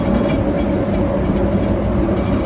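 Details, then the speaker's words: Ford Fiesta Mk6 ST150 driving: constant low droning rumble while rolling, steady with no engine rhythm, from a worn driver's side rear wheel bearing replaced about four months earlier; all four wheels checked. "now i'm pretty sure the culprit is this driver's side rear wheel bearing i've already checked this out and have a listen to this"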